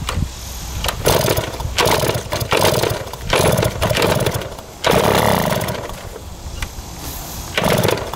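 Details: 1971 Yamaha JT1 mini enduro two-stroke, sat about 30 years in a basement, with 133 psi compression, confirmed spark and fuel. It sputters in uneven bursts, catching and dying, because the exhaust is clogged with mouse droppings and what looks like poison: hard starting and poor running.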